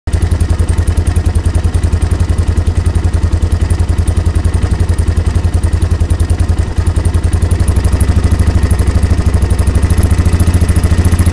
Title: yamaha warrior motorgeräusch